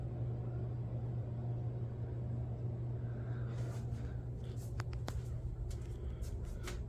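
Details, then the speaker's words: Heat pump running emergency heat at a 76 setpoint, blower cleaned earlier this year, thermostat replaced; aux light on and the outdoor condenser stays off. Low, steady blower rumble with a constant hum and light clicks; fan runs smoothly. "There's the aux light coming on. And I didn't hear the condenser start up outside, so that's a good sign."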